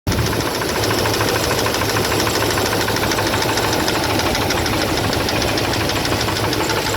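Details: 2002 Dodge Ram 1500 4.7L V8 at idle with a fast, steady metallic knock ticking through the engine note; owner asks what the noise is, cause not identified.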